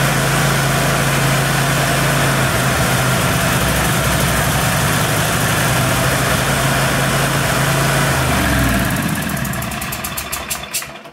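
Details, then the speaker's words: Troy-Bilt riding mower, Kohler SV710 Courage single-cylinder, after no-start fix, choke taken off then back on: steady even drone for several seconds, then winds down smoothly at shutdown; normal running. "so that is how you fix a no start on one of these kohler courage engines"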